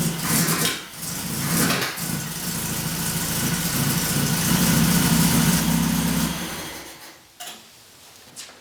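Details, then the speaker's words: Saab Sonett V4 with a carburetor, just after a new lower radiator hose, thermostat and coolant fill: engine catches and settles into a steady, slightly lumpy idle with no knocking; idle is okay but the carburetor still needs tuning. "idol's okay i still have a little bit of tuning to figure out and i'm not that good with carburetors yet"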